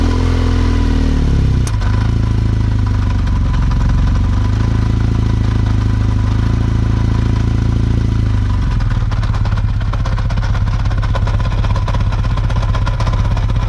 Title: KZ750 Engine Noise When Cold